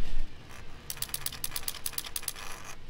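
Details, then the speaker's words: Yamaha F225 3.3L outboard, ignition off, idle speed control valve removed and driven by diagnostic stationary test: quick run of light even ticks about eight per second; valve cycling normally, not the cause of the sputtering idle issue. "so the idle speed control valve is cycling back and forth like it should um that's not the problem"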